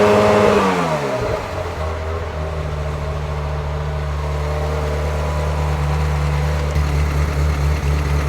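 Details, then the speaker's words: 1994 Euro-spec Ferrari F355 GTS, 80,000 miles, Capristo exhaust and high-flow cats, warm at idle during emissions test: steady V8 drone that wavers and stumbles, not a miss; rough idle. "you could hear that stumble that I mentioned on the test drive when it was just sitting there idling. It just kind of has like a, not a miss, but the idle is not as smo"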